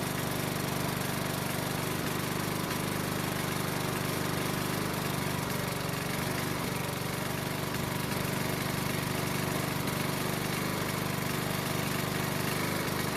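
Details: Honda mower that wouldn't start in spring after proper winter storage, now running after the fix: steady, even drone at constant speed with no stumbles or surging; healthy.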